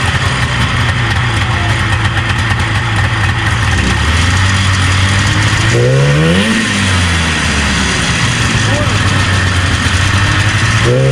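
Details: 1977 Arctic Cat El Tigre 4000 440cc free-air snowmobile with Mikuni round-slide carbs, during needle clip tuning. Uneven two-stroke revs rise and sag, hesitating off the bottom; a low-end bog, suspected carburetion.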